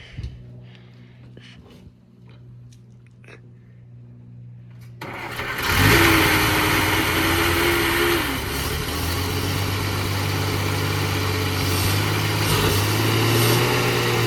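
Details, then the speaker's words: 1933 Dodge Brothers sedan deluxe, stock flathead 6, restarted without starting fluid after refilling the empty carburetor: a few clicks, then catches and runs lumpy with uneven pulses and wavering speed; carburetor needs a rebuild. "My 1933 Dodge Brothers two-door sedan deluxe runs. The carburetor definitely needs rebuilt to run better."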